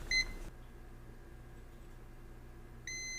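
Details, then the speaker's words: Dead 4TB Team Group SSD with a Silicon Motion SM2259XT controller running warm: multimeter continuity beeps, a pause, then a steady beep again, showing the capacitor's line is shorted to ground with the controller still fitted. "See if it's um if that line that this capacitor lives on is short to ground, it's going to make that noise. And it does."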